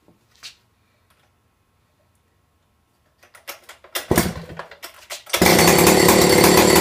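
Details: Stihl 070 chainsaw with 25-inch bar and new .404 chain, cold start on choke: quiet handling, then several sputtering pulls catch and the saw settles into a loud, steady, even buzz; runs fine from cold.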